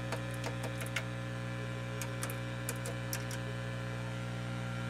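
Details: Realistic STA 2100D amplifier back under warranty, after all feedback-loop capacitors were replaced: only a quiet, steady low hum with faint hiss and a few light clicks, no rumble. The amplifier now sounds quiet and healthy.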